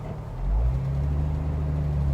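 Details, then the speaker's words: 1998 Jeep Wrangler TJ taking off in first on an incline: low engine drone surges and judders under load as the clutch engages, a shuddering/bucking that is sometimes worse than others; clutch chatter, later fixed with parts including a new flywheel. "Did you hear that shuddering? Sometimes it's worse than others."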